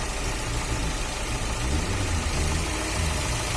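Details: Fiat Uno 1.4 Evo Fire after cylinder head replacement, idling: low, even idle with steady rhythm and no knocking or ticking; earlier abnormal engine noise resolved.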